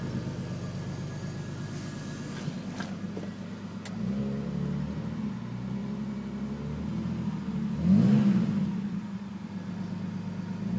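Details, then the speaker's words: BMW E46 330i turbo six-cylinder at warm idle. A light, quick, even tick over the hum that rises with revs, likely from the top end; it appears once the oil warms and predates the turbo. Lifters replaced two years ago didn't help; owner suspects valves. "so now you can hear the tick."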